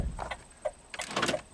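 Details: 2008 Saturn Astra after jumping a bad ground in the left headlight harness: quick, sharp, even clicks in short bursts as the power door locks cycle; locks working properly.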